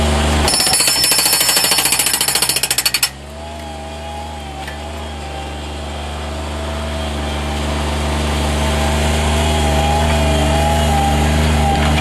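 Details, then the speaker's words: 2012 Bobcat HB680 hydraulic breaker on a Bobcat MT50–MT55 mini skid steer, pounding concrete. Fast even blows, about 3.5 per second, stop after three seconds leaving the engine idling. No leaks or welds; hitting cleanly, normal. "I'll go ahead and pound with it, but there isn't a single leak on it. It's not welded or busted up."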